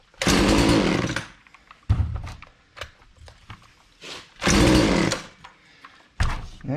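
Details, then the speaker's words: Husqvarna 240 chainsaw, hard to start and not staying running, after chain brake released: snaps cleanly to full revs in short bursts and back to idle; may just need to warm up. Normal running. "now it's on it doesn't have a running problem but maybe it just needs to warm"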